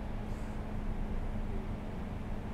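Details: 2007 Toyota Yaris after fix: quiet, steady low hum, no stumble or shake; smooth even idle restored after cleaning a completely clogged throttle body that caused low idle, shaking and battery light.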